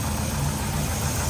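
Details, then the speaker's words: Big-block Camaro first started after sitting since 2017: a steady deep V8 lope at idle with light forged-piston clatter, which is normal; the motor sounds good. "mot sounds good got that Forge piston clu to it nice music to my ears"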